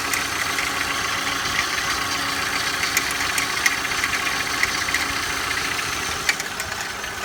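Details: Engine at cold start idle: thin irregular ticking and chatter over a quiet engine; owner asks for help identifying an abnormal noise present when cold, source unknown.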